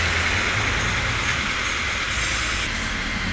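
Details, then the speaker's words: Car engine after ignition coil replacement, steady even idle with a smooth exhaust note and no stumbles or misses, unlike the previous rough running; it had been stalling by itself. "Bunyi yang timbul di knalpot pun juga halus, jadi nggak seperti kemarin yang brut. Ini udah halus ya, udah enak, tariannya juga udah enteng."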